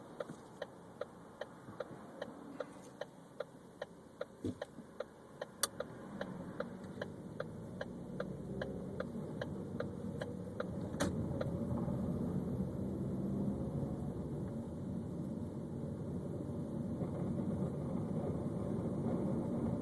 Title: 2013 Ford Focus Grinding/Rattling noise